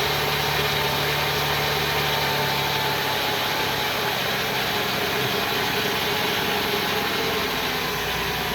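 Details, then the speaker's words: 2000 Ford Windstar SEL, 3.8 V6, 204,000 miles, rebuilt engine and heads. Cold start after two days, AC off: uneven, shaky, buzzy rough idle with heavy vibration worsening with throttle. New EGR, DPFE, plugs and gaskets didn't help; no vacuum leaks or misfires found. "i don't know if it's visible yet but it's vibrating quite quite heavily here one flight throttle [Music] and it just gets progressively worse"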